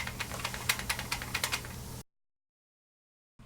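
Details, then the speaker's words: Magnetic shelf/wall/door bracket prototype shaken in its hang flap: light, irregular plastic clicks and rattles from a loose fit; tighter tolerances, about 0.1 mm, wanted so it is completely quiet. "look and feel very cheap and we want it solid we don't want any rattling and you'll hear the rattling and hear the clicking that we don't want we want it completely quiet"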